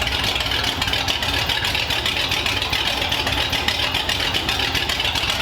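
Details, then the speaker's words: 1932 Ford Roadster, first run in the car since about 1953, with modified headers and exhaust under the car: steady, even idle with a quick, regular exhaust beat and no knocks or misses; runs smoothly. "it sounds healthy it sounds awesome I know we ran it on the Run stand but having it in the car with the pipes going down under the car it sounds awesome and it just idles really really well"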